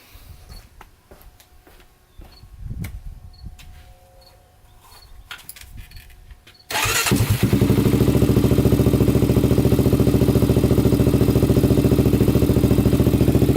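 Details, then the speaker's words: 1999 Honda 400EX after rebuild, restarted after about 20 minutes cooling following a ride: single fires instantly and settles into steady, even idle with no stumbles; runs perfect, no smoke. "yup runs perfect literally starts instantly"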